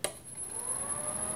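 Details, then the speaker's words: Lathe motor (Leeson 1800 RPM) on Teco-Westinghouse L510 1HP VFD, carrier frequency raised from 5 kHz to 16 kHz: quiet, even run with only a faint very high whistle left; smooth and healthy. "now when I switch that on we shouldn't hear that whistling sound"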